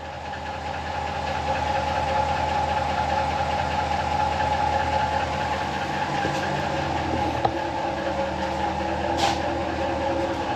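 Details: 2017 Ram 1500 4th Gen air suspension compressor, with a suspension fault and zero tank pressure: rough uneven churning chatter with a thin steady whistle; owner says it sounds terrible, cause not confirmed; noisy air compressor with whistle.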